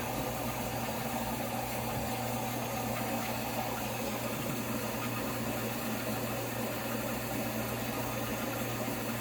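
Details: In-tank F90295 fuel pump on return-style hat with PPRV and venturi siphon, flow test at 70 psi (21.2 A, flow falling with pressure): constant low hum with faint whine, no surging or rattle; runs evenly at high pressure.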